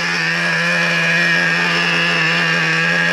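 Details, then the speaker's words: Traxxas Revo 3.3 nitro RC truck during day-two break-in, fourth tank, low speed needle found slightly lean; wheels not spinning, reading 247 on Traxxas Link app. High steady buzz holding pitch without sagging or surging; well-tuned normal idle. "easy to tune it up. And like I said, you want it to sit here and idle without shutting off."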